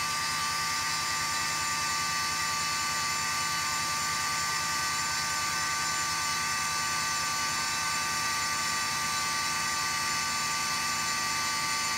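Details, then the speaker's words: 2001 Cadillac DeVille at startup: a loud, constant high electric whine steady over the engine, cycling off as the car warms; owner suspects the secondary air (AIR) pump, later replaced. "when I turn it on this really loud annoying sound starts going sounds like an air pump of some sort I think it's a secondary air pump"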